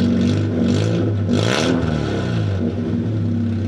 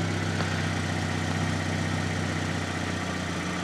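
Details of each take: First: Fiat Panda 4x4 warm engine with exhaust pipe removed: blips rise to harsh crackling rasp; raspy open exhaust note, exhaust also full of holes and blowing. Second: Fiat Panda 4x4 project, warm at 90 degrees, no engine management light: low, steady, even idle with no knocks or misses; engine healthy, exhaust full of holes.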